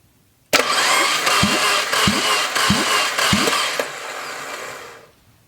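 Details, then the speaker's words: Junkyard Fiat 500 MultiAir engine cranking too easily and unevenly without firing during a dry compression test; one cylinder reached 120 psi and the others stayed under 30 psi, with the cause unknown and possible tester error. "Alright, I gotta be doing something, there's gotta be some compression."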